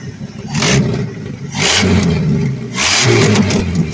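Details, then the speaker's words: Old Ford farm truck, believed 323,000 miles, running with no air cleaner, some vacuum leaks and a slight skip at low idle. Loud, raw V8 roar surging in waves from a big exhaust leak at the head, where the manifold nut is missing and loose. "it's got a huge exhaust leak over there coming off the head Bland missing the nut it's loose"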